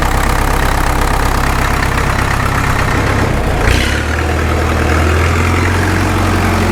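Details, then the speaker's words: Caterpillar D2 #5J1113 diesel, engine not fully broken in, idling during a return-port injector test: deep heavy idle with a single sharp pop breaking the beat; number 4 injector overflows with fuel, internal leakage causing the intermittent pop. "Number 4 has already filled up to the top of the return port and is starting to spill down the outside. The other 3 are just fine. So I know we've got a lot of internal leakage going on in here."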